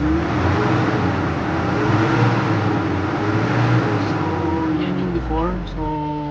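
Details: Nissan NV350 diesel before engine treatment, with low power and a hot engine. Revs climb lazily and hang before easing back, showing sluggish throttle delay. Cause unclear.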